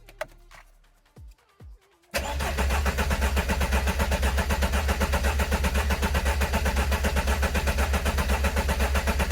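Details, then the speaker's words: Engine cranked to build oil pressure after six years standing, coolant bled, injection/fuel pump not yet connected: after clicks, steady even churn of about two beats a second with no firing; oil pressure light goes out while cranking, pressure judged good. "mais écoutez pour moi ça a l'air bon parce que quand le moteur tourne le voyant s'éteint donc pour moi la pression basse n'est pas allumée quand le moteur tourne ça veut dire que la pression est bonne"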